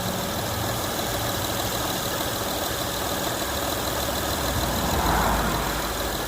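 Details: Honda Accord 3.0L after the power steering pump was replaced for a whining noise: an even, steady idle with no whine rising above the running noise; the pump sounds quiet and healthy.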